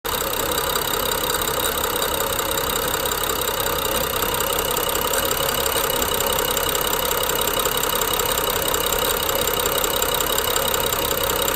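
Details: BMW N55 at idle: fast, uneven clicking with slight grind and rough, jerky idle; owner suspects Valvetronic gear and eccentric shaft, unchanged after new OEM coils, plugs and VANOS solenoids within last 5000 km.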